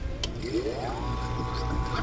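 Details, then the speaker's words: Marine Air air-conditioner water pump from a Formosa 51 sailboat, bench test on a basic switch while diagnosing an HPF error: steady hum rising then settling evenly, no knocks or grinding; pump turns on normally, possibly pointing to a bigger issue elsewhere. "That's interesting. So the pump is actually turning on, which is worrisome."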